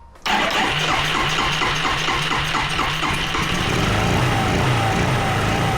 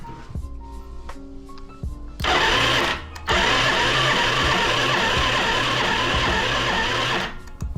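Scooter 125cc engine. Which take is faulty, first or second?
second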